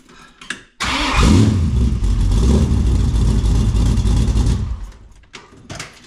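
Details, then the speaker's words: 1967 Mustang just after fitting a new Powermaster XS Torque starter, replacing a 40-year-old unit: quick, strong crank catches within a second, then a couple of clean blips settle; normal start, though the solenoid is suspected bad. "I do like the way it starts up yeah it sounds good but the solenoid I think is bad"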